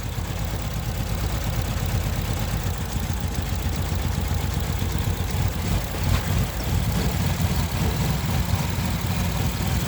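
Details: 2015 Infiniti QX60 V6 idling rough with a low, lumpy, uneven beat while an ignition coil is unplugged. The owner is seeking advice on the rough idle.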